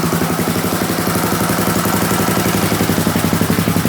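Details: Custom-built Yamaha Raptor 660 after heavy electrical work and an aftermarket stator. The earlier choo-choo chuffing was from misaligned exhaust gaskets and is now gone. The exhaust still has its quiet core. Steady, even thumping idle at about four beats a second: normal idle.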